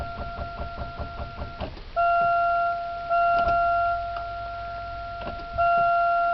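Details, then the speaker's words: Buick Century with a weak battery, run down by the radio playing for about half an hour: sluggish starter pulses about five a second that fade, then steady warning chimes; cranks only very slowly. "this car has a crappy battery so I had the radio on for about a half hour so it won't crank it is cranking though just very slowly"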